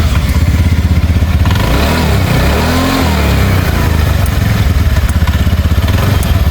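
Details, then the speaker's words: TVS Ntorq 125 scooter after repair: steady even idle putter with one blip, no clatter; auto choke ticks slightly when engaging; normal idle, previously rattled like broken pots. "लेकिन अभी देखिए पहले का sound एकदम कैसा था अभी का साउंड एकदम मस्त आ रहा है दोस्तो"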